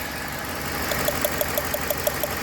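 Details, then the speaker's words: 2007 Ford Explorer 4.6L V8 at idle with overheating and white smoke, thermostat removed: sharp regular snapping ticks about six a second as cylinder 6 sometimes misfires; coils good, its spark plug found cracked and leaking spark. "लेकिन एक फंदा और ए रहा है इसमें वो ये है की आप देख सकते हैं सिलेंडर नंबर छह जो है ना वो सैम टाइम इस फायर कर रहा है"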